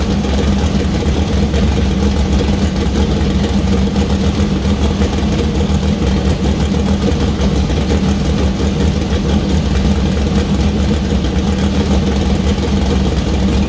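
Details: First start of freshly built 2000+HP LS V8 (Dart LS Next block, Brodix BR3 heads, .750 lift solid roller cam): deep steady idle with even solid beat, no knocks or misses; runs well, small oil leak at cam-driven fuel pump.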